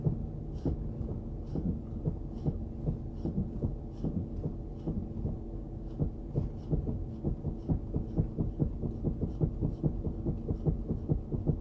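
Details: Chrysler 300C while braking: low, regular taps at roughly two per second repeat steadily whenever the brake pedal is pressed; a tapping from the brakes, cause not pinned down.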